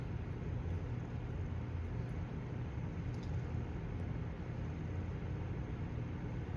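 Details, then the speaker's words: 1997 Windmere Turbo Fan WTF-7 running on low: steady low whoosh and hum with no rubbing or ticking; earlier subtle noise, suspected rotor lightly rubbing the stator, not heard, runs smooth and quiet. "so we'll see if it does it here it should run a lot better regardless here's a low and I don't hear it so that's a good"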